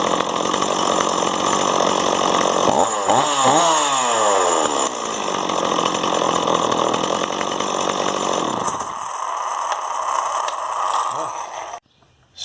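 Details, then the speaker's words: Stihl 026 chainsaw after carburetor cleaning and high/low screw retune, restarted after 15 minutes cooling: fires and runs steadily, revs sweep up and settle back cleanly without stalling or hunting; normal running and idle. "i'm going to wait a few minutes and start it up again just make sure it idles properly and i think we got it fixed"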